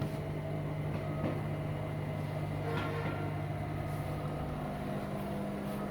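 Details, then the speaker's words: Beko/Condor EV7103 front-loader after its door-switch fault was fixed by fitting a spring so the door locks: a steady low hum with an even drain-pump whirr and no knocks or scraping, so the drum and water pump are running normally. "এখন water পাম্পও চলছে। ড্রামগুলো শুরু করে দিয়েছে আমাদের।"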